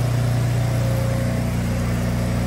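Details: Military 6x6 truck diesel running again after 10 years of sitting: steady, even low rumble with a smooth, unbroken beat and no knocks or misses, a healthy idle.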